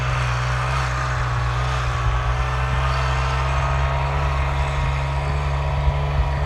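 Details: Kubota RTV900 diesel utility vehicle, final hill run after hydrostatic transmission repair; weak drive blamed on 10 years unchanged filters, possibly low oil from leaks wearing pumps. Steady even diesel drone at constant pitch uphill, no surging, knocking or whine; normal hydrostatic drive under load.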